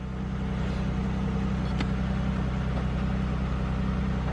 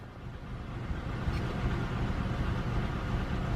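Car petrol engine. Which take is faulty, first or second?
second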